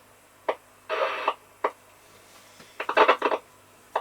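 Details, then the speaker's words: Lucas ACB888 UK CB27/81 mobile CB radio on receive about 4.5 miles from RAF Cranwell: sharp ticks and crackly bursts over quiet hiss roughly every second, radar sweep bleeding over due to poor selectivity. "Okay, so it's going to sit there ticking. We live here, there's only 4.5 miles between here and RAF Cranwell. And some radios are susceptible to picking up the radar, which this sounds like it is doing, in the form of bleed over."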